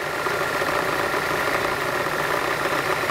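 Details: Citroën Xsara Picasso at idle after fuel pump replacement, pressure around 3.5 bar: steady, even idle with constant mid-pitched hum, no misses, stumbles or surges; runs smoothly.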